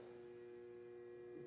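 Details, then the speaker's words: DIY 120 V one-to-one isolation transformer on a variac: fine at 90 V, but at 112 V it draws about 2 A and hums, a loud steady single-pitch hum; owner thinks it may need more windings. "112, it's like 2 amps. It's really starting to hum."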